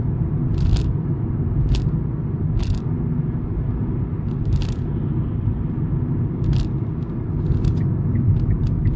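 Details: 2016 Kia Rio driving: a few sharp thunks over road rumble on 90° turns, front suspension or steering clunk; absent when cold, dealership could not replicate it.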